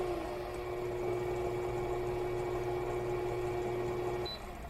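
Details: Electric coffee grinder being compared in an unboxing (Fellow Ode or Baratza Encore): a steady, fairly low motor whir with a soft grinding hiss that runs evenly, then cuts off cleanly. Described as very quiet, a normal grind.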